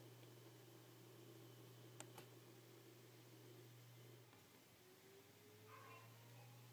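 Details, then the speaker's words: An iMac spins up at start-up over a low steady hum with sharp clicks, a failing hard drive retrying to read data every few seconds; the OS rarely boots. "this imac has what appears to be a hard drive problem you can hear it spin up when it's trying to start up"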